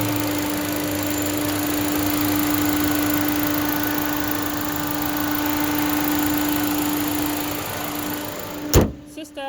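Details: 2011 Ford Fiesta small four-cylinder, manual, hood open: even idle with a steady hum and no knocks or misses, then a thump near the end; sounds healthy.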